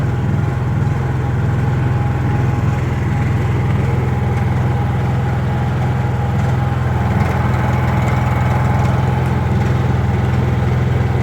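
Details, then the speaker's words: Honda EU3000is generator after restoration, running cold on a little choke: even steady drone, constant low hum, no misses or knocks; runs smoothly. "okay little choking little chage it's cold"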